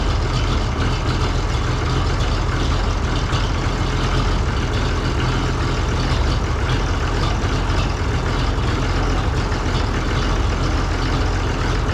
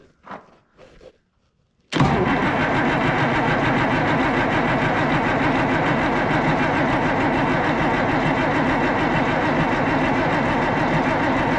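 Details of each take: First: Oliver 1800C diesel tractor, cold, just started after Stanadyne (Roosa-Master) injection pump repair and reinstall: steady, even diesel clatter with a low heavy rumble and no misses or surging; idling cleanly while air purges. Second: Oliver 1800 diesel tractor after Stanadyne (Roosa-Master) injection pump repair and refit: long steady cranking after solenoid click, even rhythm, no firing; injector line fittings left loose for bleeding, pump not yet full, no start until fuel system is bled.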